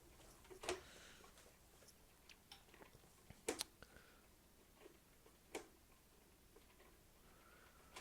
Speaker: do you hear that you hear that clicking I don't I don't know if it's supposed to be clicking like that but whatever